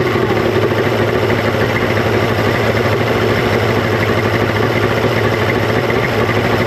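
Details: 1995 Mercury 200hp XR6 Blackmax outboard, about 30 years old, after trigger removal and timing adjustment, running with the idle stabilizer refitted; steady even two-stroke drone without surging or misfire; normal running.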